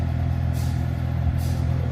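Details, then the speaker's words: 2014 Chevy Silverado after AC actuator replacement, engine idling, cold AC blowing: low steady droning hum from the HVAC blower; owner says blower is messed up, suspects leaves from the cabin filter area fouling it. "We definitely got cold AC blowing out, but y'all hear that humming. So, I got to pull my thing out over there. My uh blower is messed up."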